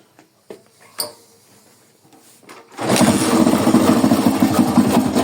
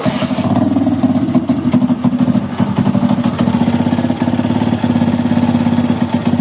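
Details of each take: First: Small carbureted motorcycle (Titan 99 tagged) engine with strange noise: handling clicks, then start and rough rattly rumble; mechanic plans to check the flywheel/stator side, suspects crankshaft bearing failed. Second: Honda Titan motorcycle single-cylinder engine after replacing failed crankshaft bearing that caused strange noise: steady even idle thump, no knocking or grinding; fixed.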